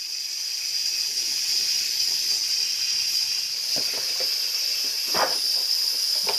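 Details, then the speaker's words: Craftsman pancake air compressor, about 17 years old, housing split open and running: steady sharp hiss of escaping air under the pump; leak found at the rear cover of the compressor head, whose four bolts are then removed. "and yep there it is right there right at the rear of the compressor motor"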